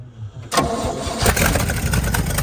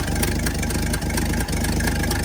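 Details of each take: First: 1964 Chevrolet C60 grain truck, inline 292 six, four-speed with high-low rear end: brief crank, then it catches cleanly and settles into a steady, even low rumble at idle with decent oil pressure; normal start and idle. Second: 1964 Chevrolet C60 grain truck, inline 292 six, idling before the drive home: steady low idle with an occasional stumble where a beat drops out; slight misfire at idle, owner hopes it clears by home.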